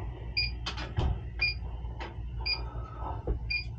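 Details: Freezer warmed to 59°F and starving for refrigerant, charge added to search for the leak: high double beeps about once a second over shuffling and knocks as the detector picks up refrigerant; leak detected.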